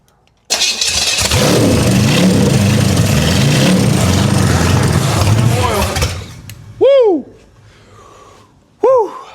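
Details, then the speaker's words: 1970 Buick Skylark GS350 with a 1971 455 big-block V8 on first start after swap: runs rough with a loose, churning rattle under the exhaust from the torque converter spinning while left unbolted. "Oops. That noise is the torque converter spinning cuz I have it loose."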